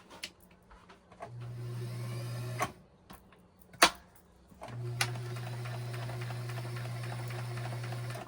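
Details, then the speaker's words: Kenmore 158-1941 all-metal sewing machine, Japan-made, about 1960, run before oiling and cleaning; two smooth even runs with a steady motor hum and light mechanical patter, no knocking or binding: normal running. "It's actually really good the way that it sounds, but I want to see if it can sound a little bit better."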